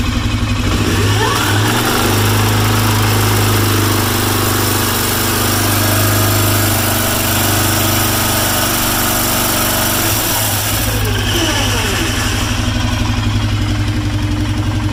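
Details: Arctic Cat 650 running: a harsh, rough metallic grinding from the clutch case area that holds as the engine revs; the cause has not yet been found.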